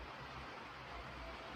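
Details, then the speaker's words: Dodge Nitro six-cylinder after new rockers installed and oil changed: steady, even idle, all cylinders running, valvetrain tapping gone. "because right now all six cylinders are there and it's not tapping no more tapping noise is gone which was one of the things we were after effects"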